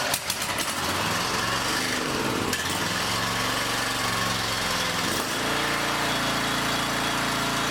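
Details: Log splitter small engine with recoil starter rope just rewound, started on choke: catches after a few rough choked pulls, then settles into a steady even run with no stumbling.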